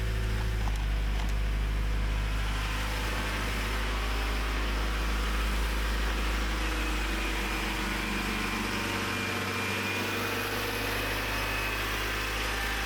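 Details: Honda CRX with new aftermarket fuel tank and Walbro 255 fuel pump installed: engine catches and settles into a steady, even idle with a smooth low drone and no knocks or misses; normal idle.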